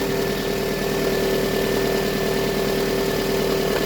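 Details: Toyota RAV4 after its no-start problem was fixed: even, steady idle with a constant hum and a smooth, quick beat, no misses or knocks; the engine is running healthy.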